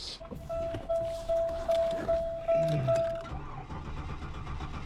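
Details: 1998 Buick LeSabre (VATS key; starting fluid didn't help): steady starter cranking at about two and a half beats per second and the engine never catches. Crank no start.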